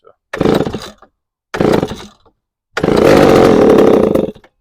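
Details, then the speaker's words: Chainsaw with troubled history, after installing a new carburetor, running with air cleaner off: two firing bursts, then it catches and holds a steady high rev; starts and runs properly. "we're gonna leave it running for a second we'll come back we'll see if she's still running oh baby we are in it's still going"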